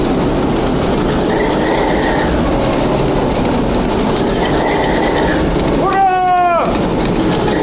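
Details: TEP70 0237 locomotive with V-16 diesel, first start after repair: steady diesel rumble holds evenly, with a brief horn-like tone midway, running smoothly with no knocks; normal running.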